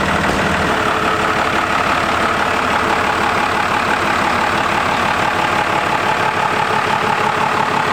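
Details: Diesel truck with newly installed compound turbos, restarted after tightening an oil leak and a fresh oil change, idling to circulate oil; steady, rapid, uniform clatter with no odd knocks or surging. Normal diesel idle.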